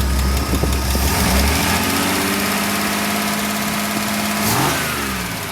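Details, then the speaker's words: 1993 Ford F-150, straight-six Ford 300, after valve cover refit: engine climbs from idle to steady high rev (about 4,000 rpm) and holds, no clear tick; revving unstuck the stuck lifter, though it still sticks at times. "well it seems as if it's fixed itself all I did was put the valve pain back together the valve cover back on start her up R it to like 4,000 RPMs and it unstuck itself"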